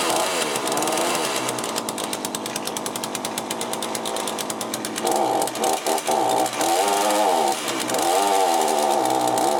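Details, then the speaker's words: Cheap chainsaw with a Walbro carburettor, just rebuilt, cold and still unadjusted because the owner lacks the adjusting tool. High, thin, buzzy two-stroke note that races, then surges and dips in short waves; owner thinks it runs quite lean. "at the moment it seems like it's running quite lean i need to adjust these but i haven't got an adjustable screw for it"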